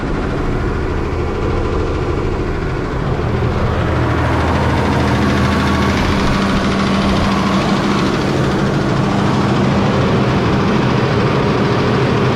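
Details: New Holland tractor diesel at idle: loose, fairly quick tick of about three per second over a low rumble; mechanic suspects a scored piston, possibly a valve hold-down or injector issue, unconfirmed.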